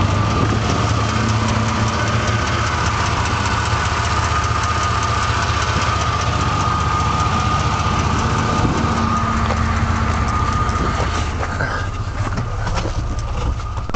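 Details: Truck engine at idle: rough, shaky idle with loose uneven ticking seemingly from the bottom of the motor, faster with revs then vanishing; oil pressure drops after 15 minutes, burns oil; exhaust leak fixed and lifters adjusted without change; cause unknown.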